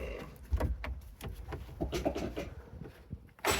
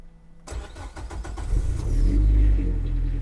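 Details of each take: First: Nissan S13, cold-cranked in a freezing trailer after a loose kill-switch wire was fixed: the starter cranks steadily at about three compression beats per second for six seconds but never catches. The owner is unsure of the cause; likely insufficient cold-start fuel on E85. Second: Nissan S13 on E85 at about -7°C outside, left 15–20 minutes in the shop: after adding much more cold-start fuel in the Link ECU, it catches on the second crank after brief cranking and revs to a steady, even idle with no misfire; normal cold start.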